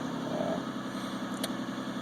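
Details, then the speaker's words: 2001 Isuzu Rodeo just restarted after EGR valve removal and cleaning, check engine light still on: steady smooth hum a bit quicker than normal warm idle, not settling; high idle, possibly a separate issue. "looks like the uh looks like the idle is still up a little bit I don't know if that'll settle down or that might be a separate issue"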